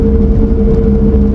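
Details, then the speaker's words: 1994 Toyota Celica GT4 turbo with 3S engine, cruising at 50: steady mid-pitched whine over road rumble; owner unsure whether from rear diff or rear wheel bearing. "diff or the rear baren I don't know what it is but they sound horrendous so annoying"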